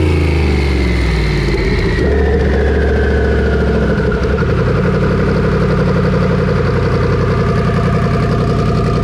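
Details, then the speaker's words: Misfire under load on a twin-turbo Coyote V8 during a dyno pull at full throttle: engine stumbles and runs ragged instead of pulling cleanly; boost did not drop, erratic air-fuel ratio, and the power curve laid over, suggesting more than just a misfire. "Misfiring, but it sounded like, if you see the graph, it laid over, something else was happening, not just misfiring."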